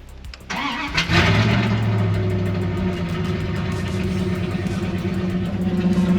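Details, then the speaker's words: 1995 Dodge Ram 1500 5.2 that started then died with near-zero fuel pressure, fixed by repairing broken/corroded ground wires near fuel pump (pump also replaced): short crank, clean catch, steady even idle; normal start after repair. "that's it we're back in business oh my god i'm so happy that's three days three days of diagnosing"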